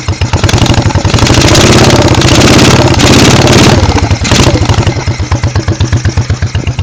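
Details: 1986 Honda Shadow VT1100C rear cylinder misfiring, spitting back through a wet carburettor; 125 psi compression on both cylinders, good plugs, carbs swapped without change: lumpy idle with irregular pops about three a second. Owner suspects cam timing; cause unconfirmed.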